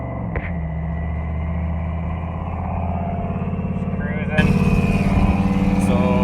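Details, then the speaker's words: 2000 Chevy Silverado, LM7 5.3L V8 with VS Racing 7875 turbo, at operating temperature, driving under boost; loaded V8 drone turns uneven and choppy as it pulls, a stumble; still needs tuning, owner suspects the PCV system. "Still got a little tuning to do. You can hear that stumble there, but I think that has to do with my PCV system."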